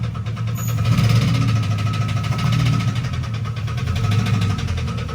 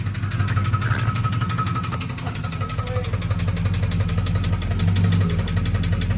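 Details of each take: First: GMC Yukon whose engine knocked a rod after being driven: low heavy idle with a steady hard metallic knock every few beats. Rod knock, knocking pretty good; the motor is coming out. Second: Turbo 5.9 Jeep Grand Cherokee daily driver, cold start: starts, high idles then comes down into a deep, steady, even diesel clatter with no heavy knock or stumble; normal healthy cold idle.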